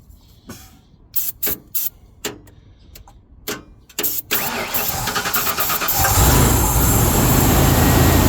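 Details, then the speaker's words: 1996 Ford F250 XL with a suspected bad fuel pump, cranked in several short bursts while starting fluid is sprayed. It catches into a rough idle only on the fluid and shuts off right after. "It appears to have a bad fuel pump. We're going to start it up so you can hear it with starting fluid and uh so you can hear the engine."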